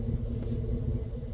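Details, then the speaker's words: 2006 Chevy 1500 V8 after pump replacement: steady even low rumble with no knocks, ticks or lifter chatter; idling beautifully, pump believed to have been the problem. "Anyhow, it's idling beautifully, and so yeah, I guess the pump was the problem."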